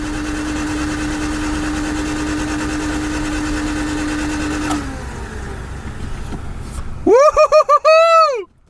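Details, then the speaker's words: 1991 Honda CRX Si barn find, engine previously seized, not turned over since about 2012, cranking with oil pressure light going out: even starter whine, smooth unbroken spin about five seconds, no binding; normal cranking. "So, the light goes away. So, when we're cranking, it's making oil pressure. This thing hasn't turned over since 2013 or honestly probably 2012"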